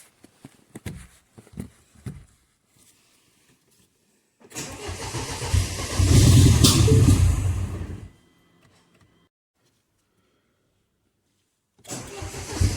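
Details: Petrol direct-injection Mini Cooper S with an already replaced high pressure fuel pump: steady cranking with no firing; rail pressure stays at 0.74 MPa instead of about 5 MPa, and a second new pump fixed it.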